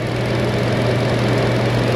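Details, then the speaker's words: Car with earlier lean code, after air-fuel ratio sensor work, battery-terminal reset and scan-tool fuel trim reset: constant, even idle hum with no stumbles or surging; now working properly. "This thing looks like it's working now."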